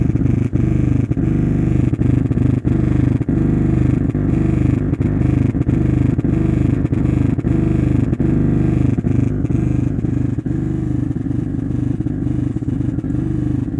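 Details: Zebronics home theatre after SMPS power supply repair and IC replacement: steady low throb from subwoofer pulsing about three times a second with no music; bass humming, amplifier motorboating fault.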